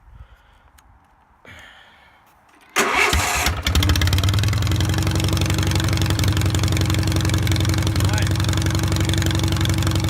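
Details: 1973 SS16 twin, revived after two years sitting (carb cleaned, rusted valve freed, fuel pump fitted and ignition wire tied to a switch), choke and drive belt hooked up, first drive: short crank, catches, steady even run, no misses or knocks; normal running.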